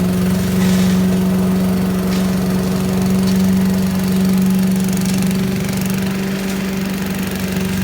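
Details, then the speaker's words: 1980s Billy Goat vacuum single-cylinder engine, after turpentine-smelling old gas was drained and fresh gas added, with weak spark: a steady, even drone with no stumbling. It needs extra pulls to start (owner suspects low compression) but runs well. "looks like it works looks like it just uh I don't know needs a few extra pulls maybe low compression or something but runs like a champ once it runs"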